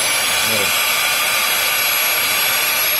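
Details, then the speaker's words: 2008 Chevrolet Cobalt 2.2L with check-engine light and codes, new secondary air injection pump bench-tested before installation: strong, steady high-pitched rushing whir, no pulsing or rattle; pump has plenty of force, working properly. "ahí está una vez más lo hacemos y tienen bastante fuerza tiene bastante fuerza"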